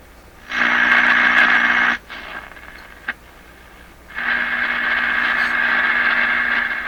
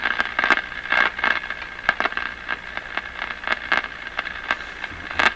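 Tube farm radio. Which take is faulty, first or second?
second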